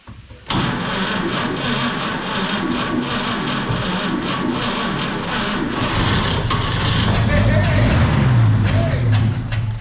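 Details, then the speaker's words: 1951 Chevy pickup, 6-volt points ignition, abandoned 40 years, fuel poured into carburetor: catches right away and runs rough and uneven for several seconds, then starts dying with no tank feeding it. Runs briefly on primed fuel, no fuel supply. "No way, It dude. runs. That's awesome. We give her another little drink."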